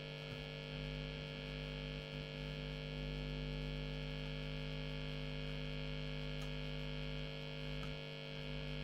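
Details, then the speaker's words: Late-1980s Hiwatt 100R Trinity tube guitar amp with intermittent faults: with the lead pulled out, a loud low buzzy mains hum swells and fades; dry joints are suspected. "on top of that and pull out the lead I've got this horrendous honey and you can hear it fading in and fading out"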